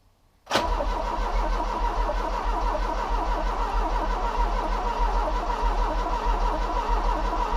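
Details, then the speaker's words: Ford Cortina Mk3 Estate, first start attempt: starter cranks steadily for several seconds without catching; no petrol has reached the fuel filter yet. Crank, no start from fuel starvation. "let's have a look at how much fuel has reached the fuel filter see if we have any petrol not yet which is rather odd I thought petrol would be here by now"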